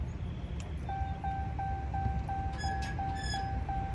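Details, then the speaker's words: Dodge Charger/Challenger (Hellcat/Scat Pack) with mufflers cut off: high thin chirp about three times a second over low engine rumble, squeaking when pulling away; active exhaust valves squeak, owner plans to lubricate them with WD-40 as fix. "I get to a stoplight and I'll pull off it gets a quick it gets to uh squeaking everybody looking like what it's a hot ass car but that one [ __ ] squeaking"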